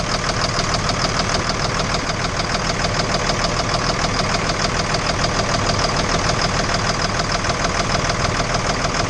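A sharp, regular knock, about three a second, holds steady over the idling engine throughout; knocking present, cause not evident.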